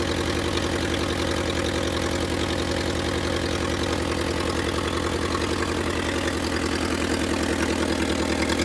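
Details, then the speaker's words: Willys CJ2A Jeep just revived, running briefly with no coolant flowing, distributor not yet clamped: steady low idle with slightly uneven, lumpy beat for about nine seconds, rough because the idle adjustment is off. "The Jeep runs. It's a little rough. And let's see if it'll start right back up now. Right. >> Probably not. Just cuz the idle adjustment needs is off."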